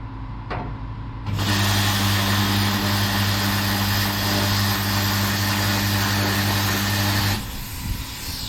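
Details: Plasma cutter after replacing an eroded tip: steady hiss over even low hum, starts and stops cleanly with no sputter; cutting normally with improved cut quality.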